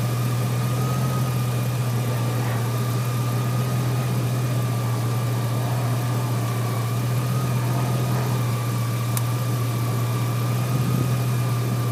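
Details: 2003 GMC Sierra SLE, 4.8L V8, idling with a newly fitted remanufactured 105 A junkyard alternator; smooth steady hum with a faint constant whine, no knocks or misses; 13.2 V at idle, up from 11 V before; normal idle.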